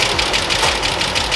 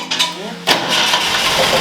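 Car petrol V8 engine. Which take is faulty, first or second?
second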